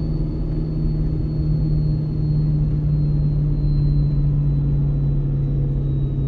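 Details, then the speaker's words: Ford 6.7 Powerstroke with MPD compound turbo kit, towing heavy load downhill in second gear around 35 mph on third of four tunes: a deep steady drone whose pitch sags slowly as the exhaust brake holds the truck back, harder than stock. Normal operation. "i usually drop it down here to second gear and we'll see if the exhaust brake can hold back seems to hold back harder with this turbo on here than it did when it was stock"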